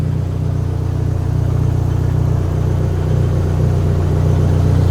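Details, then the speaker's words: Dodge SRT-4, first start after Walbro 255 fuel pump install and replacing a bad injector, about a year off the road: deep even rumble with steady pulse, slight rise near end, no misfire; running fine, a little smoky. "She sounds good. It's a little smoky in here, but she's actually running."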